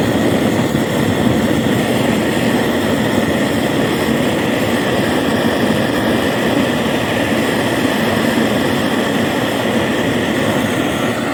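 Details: BRS-8 multifuel stove running on gas, previously never worked, after a makeshift tin part cut around a 2p coin was fitted: steady, even rushing roar with no sputter or surging; clean, stable flame.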